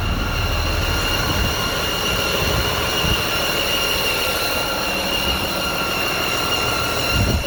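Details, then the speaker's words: Freightliner M2 106 with a Cummins diesel on cold start: a loud, steady, piercing multi-tone squeal over the diesel rumble. Soot around the cylinder 2 flange shows an exhaust manifold gasket leak. "I can see some black sud around the flange where the gasket would be at, around this area on the inside."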